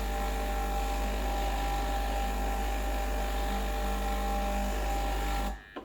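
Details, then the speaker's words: Breville Dual Boiler BES920, used for a few years, running a blank shot of hot water for 20–30 seconds to warm the group head. Steady low pump hum with a faint tone on top, then a clean cut-off: normal pump operation. "So 20 to 30 seconds of hot water should bring things up to temperature. The internals as well, the pipes and the connectors."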